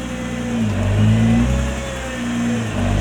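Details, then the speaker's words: Nissan R35 GT-R MY20, reversing after cleaning rust off the left-front hub ring and wheel mounting face: low steady engine hum, no clicking from the left front wheel; clicking previously heard turning right at low speed and reversing. "ックでもカチカチ音は鳴っていません。"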